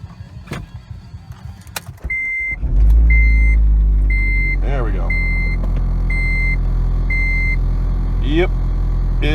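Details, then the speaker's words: Old Honda Civic automatic, started from inside the cabin: after a chime the engine catches and settles into a heavy, very loud low roar at idle; says something has gone, cause not confirmed. "loud really really loud like yikes um there's no you know something that's just gone"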